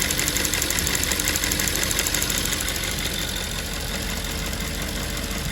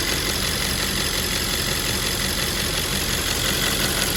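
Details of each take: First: Audi S5 4.2 V8 (2010) at idle: fast, light ticking about three per second over a steady idle, from a faulty fuel vapour purge valve clicking; fixed by replacing the purge valve. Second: 2010 Audi S5 4.2 V8 idling after replacing a faulty fuel purge valve that caused ticking: even, steady idle with no stray ticking or misses; sounds healthy.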